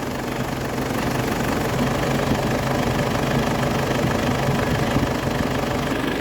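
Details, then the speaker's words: 2004 Ford Ranger diesel at idle after an AC rebuild with a new compressor, replacing one weakened by a leaking evaporator: steady, even idle with the compressor cycling on and off normally. "ตัวนี้จะเป็นตัวคอมแอร์ใหม่นะคะตอนนี้เขาทำงานค่ะพร้อมตัดนะคะคอมแอร์ตัดต่อปกตินะคะ"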